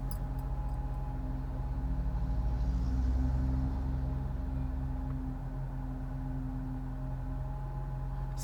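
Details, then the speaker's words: Honda CR-V with 250,000 miles, original VTC never changed, cold start the day after a fuel additive treatment: brief rattle in the first seconds fading into a steady low idle; known VTC actuator cold start rattle the owner can live with. "has a little bit of that sound in the beginning but like I said you know this car does have 250 000 miles on it we've never changed the VTC and that's a known problem with this car"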